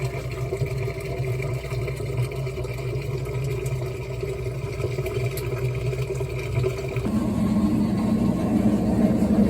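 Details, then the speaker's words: Whirlpool WTW4815EW1 top-load HE washer, intermediate rinse spin with lid closed: constant heavy roar drowning out voice, louder near the end, no banging; suspected bad bearings, not confirmed. "That thing is very noisy during the spin cycle. But, that is an intermediate spin cycle as it rinses. But, yeah, you could barely even hear my voice over that thing. It sounds like it has bad bearings or something."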